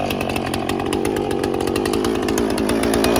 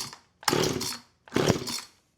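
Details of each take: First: Husqvarna 455 Rancher chainsaw revived after three years unused, carb removed, cleaned and reinstalled; loud steady two-stroke howl loading down through the cut of limbs and recovering cleanly, then settling lower; runs strong and healthy after repair. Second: Husqvarna 455 Rancher chainsaw unrun for about three years, pulled on choke with starting fluid; two short bursts of rough popping that die out each time, barely catching. Carburetor and fuel trouble suspected.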